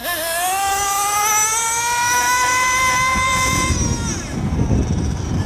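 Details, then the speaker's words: Nitro RC car engine, high-speed needle tuning on a long stretch of road: high, clean rising scream held steady through the pass, no pinging or crackle, constant blue smoke showing good lubrication; temperature afterward 220, slightly rich. "notice the blue smoke coming out constantly which means the engine is being nicely lubricated coming back notice the trail of blue smoke no pinging"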